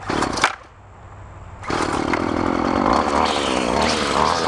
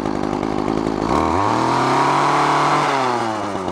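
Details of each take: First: Craftsman straight-shaft two-stroke string trimmer salvaged from curbside, carburetor high-side adjusted after four-stroking too rich: pulls to a high steady scream while cutting weeds, dipping slightly under load without bogging; normal running. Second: Craftsman straight-shaft two-stroke string trimmer, high-speed carburettor screw set slightly rich: revs up but breaks up and burbles, four-stroking at full throttle instead of screaming, deliberately for engine cooling; line too short, lowering load.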